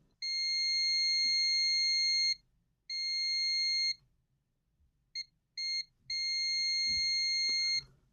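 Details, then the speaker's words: ALLPOWERS R600 power station that won't power on, checking MOSFETs for the shorted line: high continuity beeps on probe contact; one MOSFET shorted through or pulled to ground. "Один мосфет пробитий, ну, або посаджений на землю."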